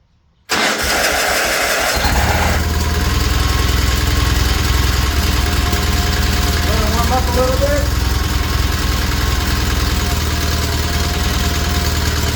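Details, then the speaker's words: Old John Deere tractor after valves lapped and timing reset, cold first-morning start: brief crank, catches and settles into a steady, even low thrum with no knocks or misses. "it's uh first thing in the morning so it might be a little cold a bit of a cold start"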